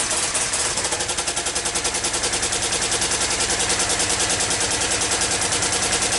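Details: Yamaha Virago XV535 at idle with replacement carbs fitted: harsh, uneven popping about three pulses a second with sharp exhaust cracks and a blowing front pipe; rear cylinder missing and backfiring. Owner suspects a failing coil; plugs to be changed.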